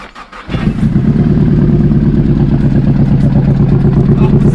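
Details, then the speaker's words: Nissan Pulsar GTiR (SR20DET) under rebuild, started after the fuel filter was changed. It catches on the first crank and settles into a steady, even idle with no stumble; sounds better than before. "Starts first time. Look at it. That's so good. I love it when a plan comes together. I think that sounds better."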